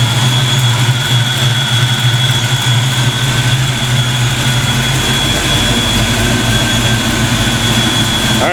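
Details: Black Ford Mustang on first fire after fitting 24 lb injectors, a 73 mm mass air meter and shimmed rockers, warming up: steady, even low rumble with a faint constant high whistle and no knocks or misses; normal idle.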